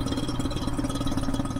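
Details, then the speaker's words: Lab vacuum pump on an HCl/DCl spectroscopy manifold, just switched on: steady, fast low chugging with a gurgling pulse as it works against atmospheric pressure, normal at startup; it quiets as system pressure falls. "turn on the vacuum pump using the switch located below the hood you'll hear a gurgling noise as the pump works against high pressure in this case atmospheric"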